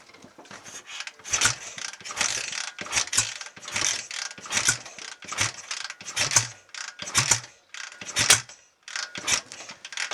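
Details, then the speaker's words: BSA A65 Lightning first start attempt after full engine rebuild, Pazon electronic ignition roughly positioned: repeated kick-over bursts about once a second, rattling and clacking, never catching; suspected ignition timing off, to be shifted. "i think we might be a bit on the ignition that's probably what's going on"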